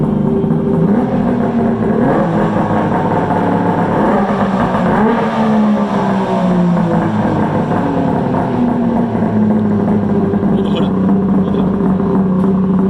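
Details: Polaris Ultra 680 triple two-stroke, break-in, with trash can exhaust: deep, throaty drone that rises and settles smoothly with the throttle, no misfire or knock; running healthy.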